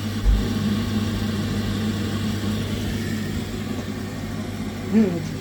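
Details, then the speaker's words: Glow-worm Ultracom boiler showing F13 fault, tested after the faulty second board was replaced with a new one: even low fan hum holds steady with no surging, cutting out or bearing noise; fan running normally, repair successful. "right I hear the Fant running so that's a good sign"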